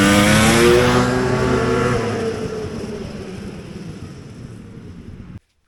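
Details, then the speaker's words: Vintage Polaris XLT triple snowmobile: a sharp rev falls away into a flat, dying drone instead of pulling cleanly. The engine bogs under acceleration, a problem XLTs are known for. "all right so the grape Apes got a bog that'll happen that'll happen to a lot of different sleds but uh xlts in particular are you know pretty well known for that"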